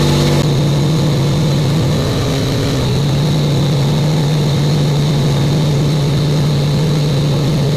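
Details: Buick Grand National, new engine, second 10-minute cam break-in run: steady even high idle with a smooth drone, no knocks or ticks; sounds healthy.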